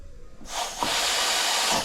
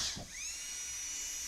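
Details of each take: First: DCI 6310 foot pedal on a dental delivery unit, pressed with all handpieces parked: sharp steady hiss as the pedal goes down; air leaking from the foot pedal, stopping pressure reaching the handpiece and causing power loss. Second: Dental delivery unit low-speed handpiece run after replacing a faulty DCI 6310 foot pedal that leaked air, pressure checked against gauge: brief start, then smooth steady high-pitched whir with no chatter or bogging; normal low-speed handpiece run.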